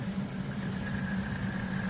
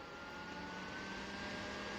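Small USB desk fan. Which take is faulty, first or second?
first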